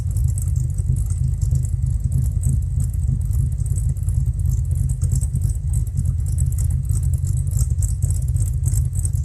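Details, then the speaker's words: Warm Fox Body V8, mostly stock with a B cam, Flowmasters and chopped exhaust, idle fuel trims near zero: a deep, loping idle at about three pulses a second, steady underneath. A normal lumpy cam idle. "it's a pretty much stock motor with a B cam guys when I hear it sounds a little lumpy to me but this is a like a B cam of flowmasters and chopped off exhaust the axle"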